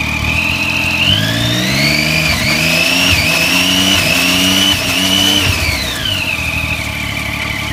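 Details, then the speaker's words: 2009-2015 Triumph Street Triple on a stand with newly installed Shift Dynamics quick shifter, run through gears: revs climb steadily with a brief clean cut at each upshift before pulling again; quick shifter operating normally. "Okay, so as you could hear, it just cut the motor out just slightly in between gear changes to allow the gear to drop in. So that's all we need to do. So that's working effectively there."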